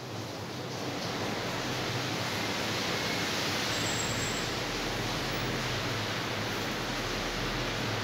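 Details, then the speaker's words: Britânia BLC04FI evaporative air cooler after reattaching its loose oscillation mechanism, now oscillating again: steady even airflow rush with faint low hum, no rattle or knock, running normally. "E agora sim ele está oscilando, como vocês podem ver."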